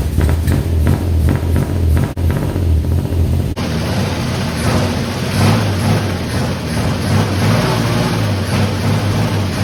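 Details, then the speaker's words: Fire-damaged 1951 Chevy, carburetor stopped leaking after it was tapped: low, even engine beat with a quick throttle blip, then steady smooth running, no misses; normal running. "So it's running awesome. The carb stopped leaking after I hit the side of it."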